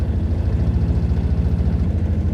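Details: Four-wheeler quad with dead battery, started using a jump starter pack: even low thrumming idle, steady pulses with no misses, knocks or hunting; running cleanly.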